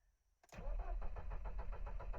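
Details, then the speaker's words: Cold start after sitting two days, suspected blown head gasket (hard starting, white exhaust smoke), after adding DIY sodium-silicate liquid glass to coolant: starter catches, engine lumbers in with uneven low pulses; still hard to crank, no improvement yet. "no still hard to crank maybe it needs few more sizeless or maybe I add just more"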